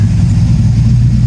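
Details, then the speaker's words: Freshly assembled 6.0 LQ4 LS V8 with truck cam and DynoVox exhaust in AWD OBS GMC Sierra, first start, cold weather, good oil pressure, tune still needs work: deep steady rumble, no ticks or knocks; normal idle. "6.0 sounds good. It's got good oil pressure."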